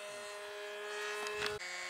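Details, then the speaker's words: Glow engine RC plane in flight after loose muffler refitted: smooth, steady, fairly subdued high-pitched buzz dipping briefly in pitch, much quieter than before; normal running. "yeah quieter yeah sounds quiet now was going said man that's a loud a much quieter"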